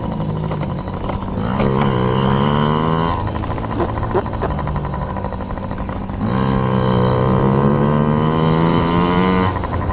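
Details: Yamaha PW50 two-stroke warming up after carburetor clean for bogging and dying at wide open throttle: crisp buzz climbing smoothly through two clean revs and dropping back, no bog or stumble.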